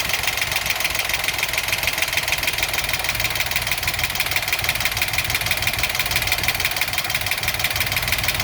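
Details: Engine knocking at idle ('66 engine): a steady, rapid, bright metallic knock about three times a second over an otherwise smooth idle.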